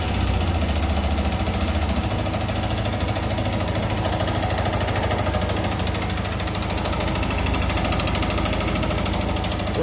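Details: Yamaha R15 engine after an engine rebuild still ticking: steady run with quick light ticking on top; owner asks which part causes it, source not yet identified.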